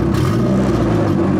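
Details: 1995 Acura Integra, turbo, with aftermarket cams, after a valve lash adjustment fixed a dead-cylinder misfire. A short, clean rev with an even pitch and no stumble; it is running on all four cylinders.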